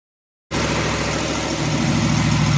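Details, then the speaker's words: Ford Falcon 289 V8 idling after flushing rust from the cooling system to cure overheating at highway speed: rough fast puffing tick over the exhaust note from a leaking header. "Well, please overlook the header leak. That sounds horrible, doesn't it?"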